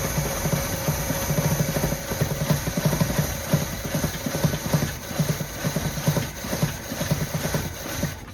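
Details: Early-1980s Chevrolet Monte Carlo parked possibly 20 years, gas squirted in: starter chugs rhythmically but engine never catches; owner suspects no fuel pickup from bad fuel pump or clogged line.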